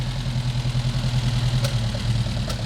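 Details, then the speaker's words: Volvo 145 after new fuel pump fitted, idling: low idle lopes and surges unevenly with periodic kicks; mixture too lean at idle though fine at 3000 rpm, fuel pressure present, gauge possibly inaccurate; needs tuning. "but i have to admit that okay you can hear the kick up so it's it's because it's too lean"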